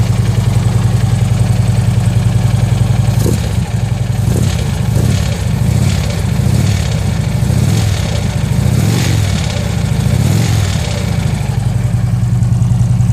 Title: Harley engine knock